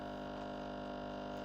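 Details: Used Breville Barista Express BES870 pulling a shot at grind size 2, pressure around one o'clock, 30 g in 32 seconds: steady, even pump hum without surging or rattling; pump running healthy.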